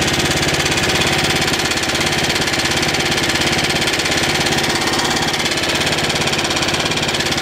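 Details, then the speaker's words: 3-4 year old 5 HP Tecumseh single-cylinder engine running steady with a sharp rapid ticking knock about three beats a second, seemingly from the crankcase; owner suspects rod knock. "I don't know about you but it sounds like it might have a little knock in it I'm not sure"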